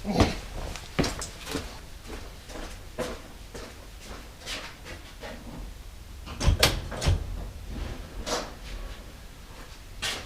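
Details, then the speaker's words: Lincoln Continental/Mark III cabin after battery reconnection during power window and switch repair: sharp scattered clacks, some close pairs, over a quiet cabin as a button is pushed; normal seat back release solenoid operation. "that clacking noise you're hearing is the um water sheet releases if I push this button and there's a button up here somewhere you hear that clicking is solenoids in the seats"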